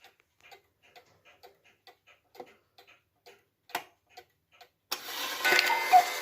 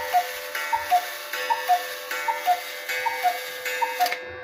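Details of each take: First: Restored Hubert Herr Black Forest cuckoo clock, movement and broken bellow fixed, running on a temporary pendulum from a Romanian cuckoo clock: soft even ticks about one per second, then clean repeating two-note cuckoo call; keeps reasonably good time, normal. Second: Restored Hubert Herr Black Forest cuckoo clock, movement adjusted and oiled, temporary pendulum: even ticking about 78 beats a minute over a faint steady ringing hum; the striking train still makes a noise while running.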